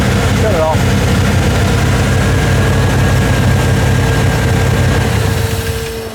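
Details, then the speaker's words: Cold small 350 V8 test-running a carburetor meant for a 383, with the transfer (T) slots opened up for a big motor. It holds a fast idle that won't come down; closing the T slots would probably give roughly 800–900 rpm. "so we're gonna do fired up and I can't get the idle down in the lower because I got the T slots open up for a big motor"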